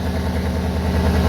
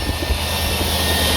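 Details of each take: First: 2003 Cadillac DeVille DHS with a P0410 secondary air injection code, cold idle. Steady low rumbling chuff with no pump whirr. The frame-rail air pump is confirmed not running by hand, and the owner believes the noise is exhaust escaping through the air injection passages opened by the vacuum solenoids. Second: 2003 Cadillac DeVille DHS, P0410 secondary air injection repair, pump bolted to a frame rail underneath: with the scan tool disconnected, a loud steady whirring over cold-start idle as the air pump runs properly.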